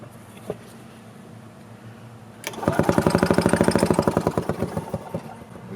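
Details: 1986 Yamaha G1 gas two-stroke golf cart that shut down while driving; choke made no difference, fuel smelled like diesel, compression okay. Rhythmic cranking chug about three per second that never catches; cranks, no start.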